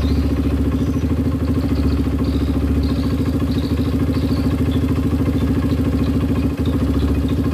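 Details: Honda CRF150 after a new rebore, earlier rough-sounding, at idle after the gasket-blocked oil passage was fixed: a steady, even single-cylinder idle at a constant beat with no clatter or rattle. Oil flows freely and the engine sounds smooth and healthy.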